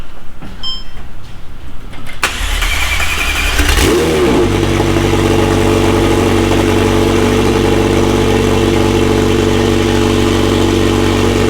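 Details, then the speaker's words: McLaren 720S engine after repair of Time Attack oil-overheating failure, cold start: cranks, fires, revs, then settles into smooth even idle with steady hum, no knocks; stable oil pressure at idle; normal idle. "Engine running good. Everything burning up. There is a stable oil pressure at idle, 162 bar."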